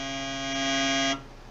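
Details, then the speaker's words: Honda CRX EV conversion with an Axiom three-phase motor controller (FOC, sensorless) during resistance/inductance measurement: a steady low buzzing tone for about a second as current pulses go through the motor. This is normal. "noise you just heard was actually the three-phase motor controller sending pulses of current through the motor to measure how fast the current rises in the motoring"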